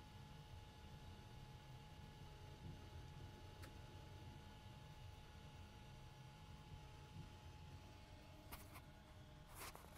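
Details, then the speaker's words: FLSUN Q5 delta 3D printer printing, recorded on an internal mic about a foot from the fan. A quiet steady hum with a faint constant mid tone and no grinding or rattles; the fan is probably the loudest part, and the noise is normal. "i just wanted to make this quick video to talk about the sounds that are made by this printer so this fan is probably the loudest part"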